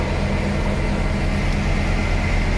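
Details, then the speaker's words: 1977 Cadillac Coupe DeVille, carbureted, 44,000 miles, just after a cold start with choke on and fast idle raised: steady, even, slightly high idle, smooth low rumble with no knocks or misses. Normal. "check this out runs beautiful of course the rpm is slightly higher because it is a carbureted vehicle the choke is on and the throttle is bumped up a little"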